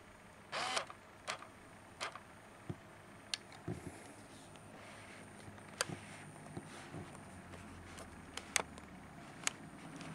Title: nikon 80-200 clicking noise